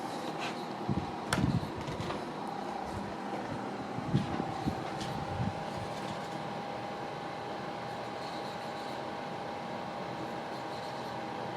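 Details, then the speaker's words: GENZ solar 3.5 kW air conditioner outdoor unit (R32, rated 52 dB): soft fan whoosh with a faint steady hum from the compressor throttled to very low speed, no rattles; normal running. "meg éppen hallatszik, hogy működik a kompresszor. De valami nagyon alacsony fordulaton, tehát nagyon-nagyon vissza tudja magát szabályozni."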